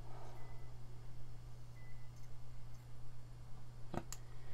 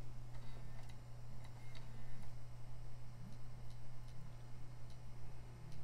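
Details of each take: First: PS2 Slim playing a music CD with the drive open, laser not adjusted: steady low hum of the disc spinning evenly, one faint click, no grinding; the drive spins and plays normally. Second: PS2 Slim disc drive. Uneven dry ticks every half second or so over a steady low hum: the drive is struggling and not reading discs properly.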